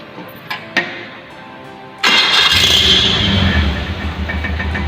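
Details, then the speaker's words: Engine simulator with codes P0120 throttle position sensor open/short, P0505 ISC valve system; engine starts, but idle surges and sags unevenly; unstable idle from coolant temp, throttle position and idle control valve faults. "Kevin masih nyala kemudian kondisi mesin tidak stabil ginjal ya"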